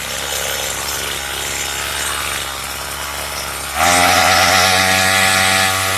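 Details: Craftsman two-stroke weedeater with a trimmer attachment fitted for drag, idle screw set low; buzzy running jumps to a higher, harder pitch after a brief lag on throttle, like stalling before it kicks in. Hesitation, cause unconfirmed.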